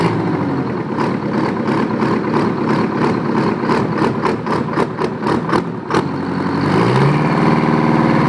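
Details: Old Detroit 9.3 L two-stroke diesel, firing every stroke, tops out about 1,800 rpm at full throttle: crisp rapid popping idle climbing into hard screaming rev; normal two-stroke diesel idle and rev.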